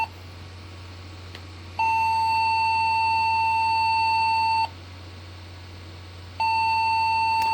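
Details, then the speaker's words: Locally built custom Pentium 3 cartridge PC with 250 W power supply, three RAM bays: one long high beep of about three seconds repeating with no boot; possible CPU fault, reseating CPU and RAM didn't clear it. "one long beep and of course no boot makes me wonder what we might be looking at"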